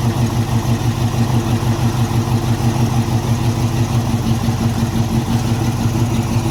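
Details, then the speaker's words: 1981 Cutlass with a 403 V8, first start in 2–3 years: rough, fast, even idle running only on fuel poured into the carburetor until it runs out. Fuel starvation; the fuel pump is not picking up fuel. "Alright, so we ran out of fuel again. We're going to try a couple more times and see if we can get this fuel pump to pick up."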